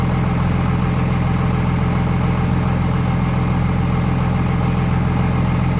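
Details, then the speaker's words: 24-valve Cummins diesel after installing DDP 50hp nozzles (4200 psi pop) to cure idle miss, Quadzilla tuner: steady low even clatter at about 850 rpm idle versus factory 900, no misses or hunting; normal idle. "I noticed the idol is remarkably lower with with these nozzles 250 horsepower nozzles on there or what factory is that 900 rpm now we're out like 850"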